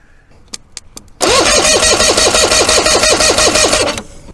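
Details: Force 120 hp two-stroke outboard, unrun for years, cranked via the starter solenoid for compression testing (about 130–140 psi per cylinder): quick, even whirring crank with steady pulses, spins freely with healthy compression.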